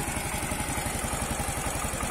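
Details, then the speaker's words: Yamaha Mio M3 125 scooter at idle on an open pipe after cylinder block, piston and head replacement (it had smoked from running out of oil): even, quick exhaust pulses, smooth, with no rattle or the earlier scraping. "Hai sudah halus suaranya sudah tidak ada suara kemresek begini"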